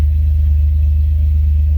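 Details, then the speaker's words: 2003 Dodge Ram 1500 right after fuel pump replacement: fires right up into a smooth, even low idle with no ticks, knocks or whine; no leaks at the pump; normal idle. "Nope, we are good. So no leaks from the pump. Truck fired right up."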